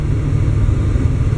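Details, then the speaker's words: 305 V8 after distributor hold-down stud repair, accelerating: deep even drone under load with no rattling or pinging; pulls pretty good, no detonation. "i get no pinging"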